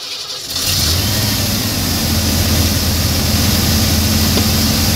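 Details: 1990 Ford F150 after installing a throttle cable: engine catches after a brief crank, then pulls through quick, clean throttle blips as the pedal is pumped, with a steady low rumble; runs healthy.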